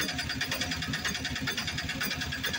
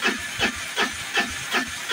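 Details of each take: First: BS4 auto-rickshaw engine that needed very long cranking to start, after a tappet setting adjustment fixed it. It starts on one press and settles into an even, steady putter with regular firing beats and no knocks. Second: Peugeot BS4 auto-rickshaw on a long self-start crank: steady hissing strokes about two and a half a second, never catching; no-start due to incorrect tappet (valve clearance) setting.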